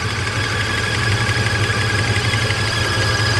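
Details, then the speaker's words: Mercedes S600 V12 test car during throttle body and E-gas testing, long-sitting car: smooth idle with a faint steady chirp on top; owner says a pulley is making the noise; pulley noise. "My pulley is making the noise too. Poor car. It's been sitting for so long."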